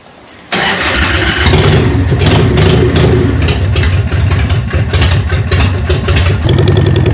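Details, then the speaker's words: Harley Evo V-twin chopper after an eight-month rebuild, starting for its first ride: cranks and catches quickly, then settles into a loud, loping idle with steady, unforced beats and no knocks. Normal start and idle, praised as sounding good. "How good does that sound? What do you reckon, John? What? Fucking loud. I am wrapped. Fuck. Whoo-wee. Sounds good, looks good."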